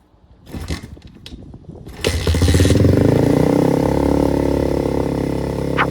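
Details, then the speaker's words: Apollo RXF 125 dirt bike on its stock exhaust, meter about 1 m from the pipe: a few blips, then a loud harsh rising bark reaching about 95 dB versus 65 at idle. "Et maintenant en accélérant. Voilà, en accélérant, on monte à peu près à 95 décibels."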